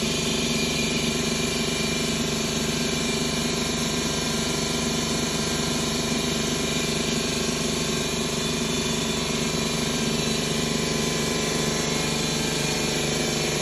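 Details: 2011 Ford Escape 2.5L with P0300 codes, misfiring on cylinders 1 and 2: steady idle with an uneven loping stumble about three times a second; traced to broken valves on cylinder 2 after engine removal.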